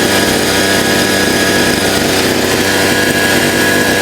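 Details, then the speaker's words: Chinese 43cc two-stroke brush cutter that would not rev and then stalled, with dust getting past a bad air filter; after disassembly and repair it holds a steady, even buzz at constant speed with no stumbling, running normally. "It works. Okay, now we'll completely reassemble it and test it."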